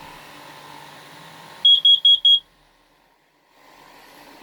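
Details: RV interior during power testing: four sharp high carbon monoxide alarm beeps over a faint idling engine, then silence; CO detector tripping from exhaust buildup.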